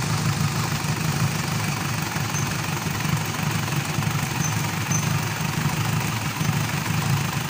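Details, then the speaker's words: Mitsubishi Pajero diesel that starts then dies after about a minute, idling rough and uneven while the priming pump is worked; weak return flow shows the injection pump lacks pressure, pending injector and pump calibration. "So kinukulang talaga siya ng ah pressure compression y yung ah kinukulang siya meaning lumulusot"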